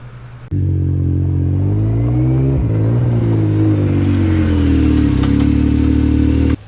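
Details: Yamaha YXZ side-by-side, a couple of weeks after lubricating the backs of the brake pads and the caliper pins: the engine pulls and revs steadily with no high brake squeal, so the long-standing squeak is gone.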